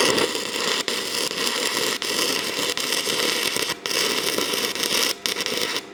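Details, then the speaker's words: Arccaptain TIG 205 Pro stick welding 6010 rod at 90 amps: steady crackling arc drops out several times for a split second, then catches again; machine can't hold a 6010 arc, though it runs 6011. "So you guys can hear it. It'll run for a second and then it kind of cuts out and run for a second, cuts out."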